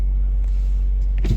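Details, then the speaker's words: Car previously knocking from a failed dual-mass flywheel, after a new seal was fitted, cold idle just after start: deep, steady low rumble with no knock or rattle, engine healthy, fault fixed. "Вот машина работает на холодную. Ничего не слышим мы."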